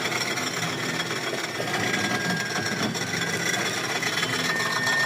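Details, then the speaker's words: Honda FD with R18 engine idling: steady rough scraping rasp with a faint high squeal from the serpentine belt tensioner, which had been fitted with a non-original bolt. Noisy worn tensioner, to be replaced. "Yan yung ingay ng tensioner niya."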